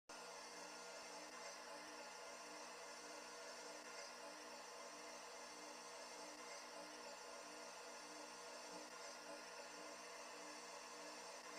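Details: Midea room air conditioner running: steady, loud buzz with a harsh, many-toned ring.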